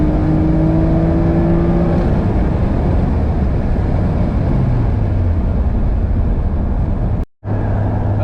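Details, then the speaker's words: Acura TL after supercharger removal, now all motor, on a full-throttle launch with good air-fuel ratios: engine note climbs hard, drops back on the shift with no misses, strong VTEC crossover; normal acceleration. "well, I'm really happy with how it runs as an all motor. It's still really quick, gets up to speed good, and it sounds really cool with that VTEC crossover, so awesome."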